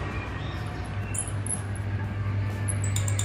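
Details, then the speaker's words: Maspion wall fan, dirty and rarely cleaned, still spins but emits a mouse-like squeak: steady motor hum with faint high chirping squeak from a dry, worn motor bushing; fix is cleaning, oiling, replacing the bushing and fine-sanding the shaft. "nah nah itu dia tikus ya Kok nggak ah itu dia bekerja"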